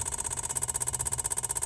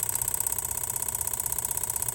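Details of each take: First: Van's evap purge solenoid under scan tool test stepped from 0 to 100%: fast, even, light clicking that stops at 100%, still present after replacing the solenoid though slightly quieter, so possibly normal. Purge solenoid clicking. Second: Van at idle with a scan tool commanding the old EVAP purge solenoid at 10–30% duty in 10% steps: a fast, even ticking buzz about fifteen clicks per second. The clicking stops at 100%, and a new solenoid clicks the same, only slightly quieter. This is normal operation.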